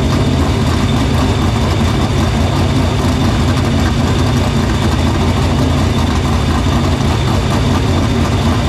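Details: Dirt Silver Crown race car run in the shop after fixing the fuel line, cleaning the filter and getting fuel through the pump and main lines to the barrel valve. A deep, even rumble held steady with no stumbles or misses. Fuel system checks out: normal running.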